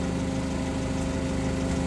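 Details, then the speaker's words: 2008 Mitsubishi Caterpillar 5000 lb dual-fuel forklift during pre-delivery inspection, switched from gasoline back to propane: steady even low rumble, no misses or knocks; engine sounds good and strong, normal idle. "Seems to work just fine. There you go. I sat I sat on it. That turn that off. Engine sounds good. Sounds strong."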